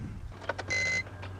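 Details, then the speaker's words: 2004 BMW E46 325Ci crank-no-start, on jump pack, key on: short bursts of high electric buzz switching on and off, suspected from the idle air control valve; unconfirmed. "Ooh, I didn't like that sound. That's actually coming from the idle air control valve, I think."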